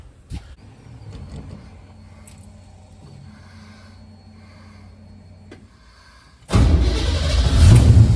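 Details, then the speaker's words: 1969 Pontiac Firebird V8 with Holley Sniper EFI after replacing a failed injector that caused stumbling: fires and holds a strong, even roar with no stumble; all four injectors working, running healthy. "happens all tell's no stumble so got all for injectors are injecting"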